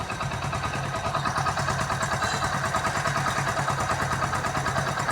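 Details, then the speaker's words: Hero Splendor single-cylinder motorcycle after full engine repair: steady even putter at relaxed idle, about three firings a second, no knocks or rattles; engine healthy. "ਬਹੁਤ ਪਿਆਰੀ sound ਬਣੀ ਇਹਦੀ ਕੋਈ ਵਾਧੂ ਘੱਟ ਆਵਾਜ ਨਹੀਂ ਕਰ ਰਹੀ ਗੀ"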